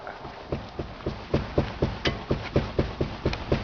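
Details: Opel Astra G front suspension, car jacked up and the wheel levered up with a long bar: dull knocks about twice a second on each lift, a long-standing front knock traced to worn upper strut mounts, both due for replacement.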